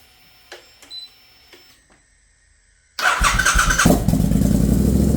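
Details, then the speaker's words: Triumph Bobber motorcycle just after flashing a new TuneECU map: quiet clicks, engine catches in about a second and settles into an even, steady idle with no misses; healthy start. "so now that's flashed onto the bike and I'll try that on my way to work in the morning so I'll just make sure it starts"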